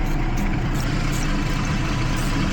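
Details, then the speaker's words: 2012 Jeep Liberty 3.5L V6 after a coolant leak soaked the engine bay: rough, uneven idle with a stumbling low thump; dead misfires on cylinders 1 and 5 from wet, weak ignition parts. "that we get a spark side the cylinder here every once in a while see here this Sil five it's another one both dead Miss fires"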